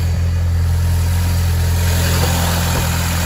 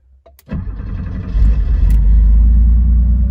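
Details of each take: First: Engine idling with the engine lid open and an intake air hose missing (replacement on order). A loud airy hiss over the engine note comes from unmetered air where the hose is missing. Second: Porsche flat-six, cold start from inside the car with the engine still cold. Quick crank, then it catches and settles into a steady, even low rumble at fast cold idle, with no misses or knocks; a healthy start.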